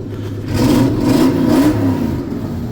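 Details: 2002 Toyota Sequoia 4.7 V8 after fuel pump replacement (previously zero fuel pressure, cranked without starting): primed, then catches and settles into an even, smooth run with a brief rev, no misses; fuel delivery restored.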